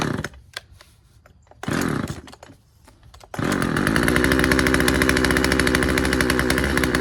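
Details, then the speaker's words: Husqvarna 136 chainsaw, first start: a few pulls then buzzy, slightly uneven high idle; runs but not cleanly, owner suspects low-speed carburetor setting needs slight adjustment. "Uh sounds like we got to adjust the low speed um setting on it just a little bit, just a hair, and I think we'll be good to go. Yeah. She wants to run."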